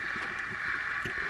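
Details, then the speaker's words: Small jigging reel spun in free spool: steady, rough burring whirr; suspected worn bearings, with hybrid ceramic bearing upgrade considered. "When I hear this, it's almost always telling me that there's bad bearings in there. And you can hear it when we go in free spool. You can hear the burring noise in there."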